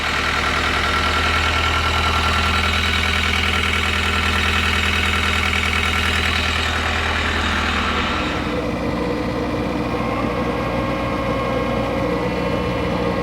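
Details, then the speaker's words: 2010 John Deere 320D, 4024 diesel, bought at auction as hard to start and rough running, after it catches on more cylinders: steady even diesel idle settling lower, brief alternator belt squeal; normal diesel idle. "Actually sounds really good."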